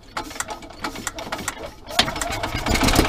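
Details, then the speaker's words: Yamaha golf cart after replacing a broken throttle cable; choke on, slow uneven chuffs while cranking, then it catches and settles into a steady putter, starting and idling normally. "Hey, look at that, it fired. It's working, all right."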